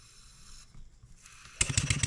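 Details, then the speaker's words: Stuart 7A steam engine running on air after valve eccentric timing adjustment: quick, evenly spaced exhaust chuffs, much smoother and more even; knocking still appears under simulated load on the output shaft. "it sounds a whole lot smoother it seems like it's running a whole lot more even"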